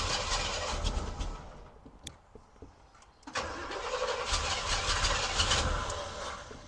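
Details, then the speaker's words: 1971 Oldsmobile Cutlass Supreme SX with 455 engine, sat for years: engine cranks sluggishly on a jump pack in two tired bursts without firing; weak cranking, owner suspects the jump pack is dying. "the uh jump Pack's probably dying ain't cranking it over as much as it probably wants to"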